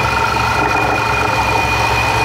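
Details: Cheap Bentley on a 1500 km road trip, about 200 km from home: steady droning engine note with humming, slightly rough undertone and extra booming noise, seemingly from the left near intake manifold or throttle body; source unclear, possibly ingested plastic.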